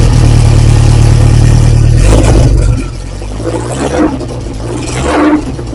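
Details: Lotus Esprit, freshly rebuilt engine, cold start, exhaust only a downpipe with no silencer: loud raw rumble at a high, even cold idle, then settling lower; engine sounds healthy.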